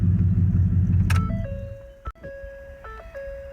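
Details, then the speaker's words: 2009-2014 Ford F-150 after replacing the ignition lock cylinder, key in ignition and door open: clear repeating two-tone ding over a quiet cab; the key-in warning chime works normally. "And now, as you can hear, so keys in the ignition, door is open, you hear that chime, you see all the lights on the dash. That's the way it should be"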